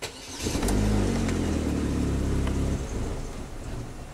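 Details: 2010 Chevy HHR 2.2L Ecotec with eight stored codes: engine catches, runs roughly about two seconds, then sags and dies; live data shows mass airflow peaking only about 0.5 g/s, pointing to a faulty MAF sensor.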